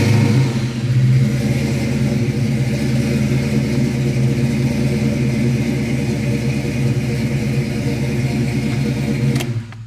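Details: Foxbody Ford Mustang at a steady warm idle after idle-issue fixes and a new radiator; even, smooth low rumble with no misses or surging, engine settles and runs cleanly; temperature gauge reads high but owner says that is normal.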